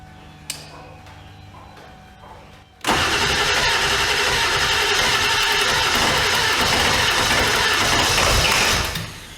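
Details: Ford OBS 7.3 Powerstroke diesel, first start after installing Marty's E-Fuel kit with a new part fitted, fuel regulator at its lowest setting of about 25 psi: quiet cranking, then it catches sharply and settles into a steady, even idle; starts and runs fine.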